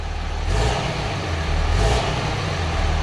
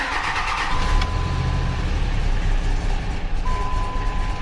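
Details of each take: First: 2005 Dodge Ram 3500 Cummins diesel after fitting a 60-gallon Titan fuel tank, fuel pump running and air suspected in the lines: steady, even rumble with a mild swell in revs, no misfire, knock or surging; normal running. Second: 2005 Dodge Ram Cummins diesel, first start after installing a 60-gallon Titan fuel tank: long cranking before it catches and settles into a rough, low rumble; air in the fuel lines suspected.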